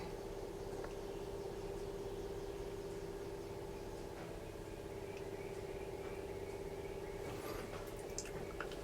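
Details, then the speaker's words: 1966 Chevy C10 before startup: quick, fairly even clacking about three a second over a light hum as the electric fuel pump primes normally. "I do have an electric fuel pump on it. You can hear it clacking away."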